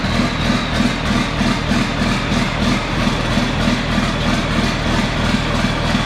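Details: John Deere 4640 tractor diesel idling after being split for a week for a 2-speed transmission transplant; steady even low chug of about three beats a second with no knocks: normal idle.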